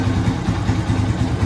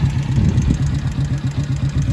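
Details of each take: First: Yamaha Vixion single-cylinder after repeated valve clearance adjustment that cured a ticking noise, with the radiator fan wired to run constantly; it now idles smoothly with an even thump and no valve tick. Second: Yamaha Vixion at idle with the radiator fan running constantly: sharp ticking about four per second follows engine speed, from valve clearance set wrong; valve adjustment reduces it.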